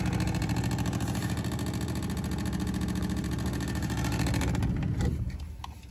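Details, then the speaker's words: Heating zone valve with room stat calling for heat: steady low buzzing rattle for about five seconds then dies away; motor vibrates but does not drive the valve, faulty zone valve. "it's definitely laying the heat through but obviously don't want to sound like that so so why is it i'm vibrating with that on it that's weird"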